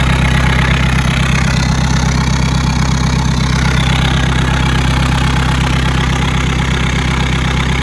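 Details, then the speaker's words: 2012 VW Golf SportWagen CJAA TDI with 262,000 on the original timing belt, after a no-start: steady, even diesel idle clatter with the high-pressure EGR undone to rule out a seized turbo or DPF restriction; it now runs normally. "so as you can see it runs now um so that's probably a really quick and easy way of diagnosing if you think the turbos seized"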